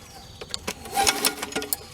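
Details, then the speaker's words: Sears Craftsman 22" Series 650 self-propelled mower, model 917.376241, stored under a house a year, turned over by hand: slow uneven metallic clanks from the blade hitting a loose cover under the deck; tightening the cover fixed it. "something is hitting something under here sitting very low to the ground as well so i need to adjust these wheels up"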